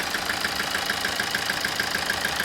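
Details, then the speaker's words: 2007 Toyota Avensis D4-D diesel with low power and a flashing engine light: sharp even ticking about six or seven per second over a rough idle, a tappety knock; injector 4 reads the odd one out at -5 in data. "sounds like a mess because it is a mess there's a dead mess so we'll draw some fault codes can they sound like it was a tappity noise almost like from the camshaft"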